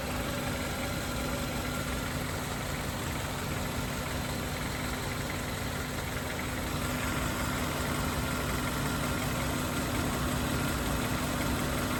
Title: What's wrong with the car making a noise every time it starts?